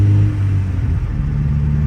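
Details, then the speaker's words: 2000 Honda Civic Si (EM1) B16A with rebuilt head (new head gasket, LMAs, valve springs, retainers), driving on stock ECU at light throttle: steady, even low rumble, no knocks, ticks or whine; sounds and feels normal. "and uh yeah sounds nice feels nice no issues"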